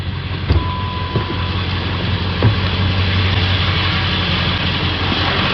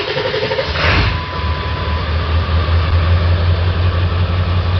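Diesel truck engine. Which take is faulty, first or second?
second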